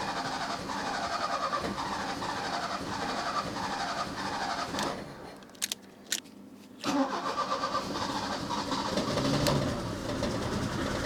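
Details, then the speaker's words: 1984 Opel Ascona 1.6S (90 hp), after the fuel pump was reinstalled: uneven, stumbling run with irregular dropouts and a brief near-stall. Owner judges it a misfire, not fuel starvation, and checks the ignition coils/leads. "they got misfire I don't think that's fuel related that's definitely a misfire it's definitely a misfire"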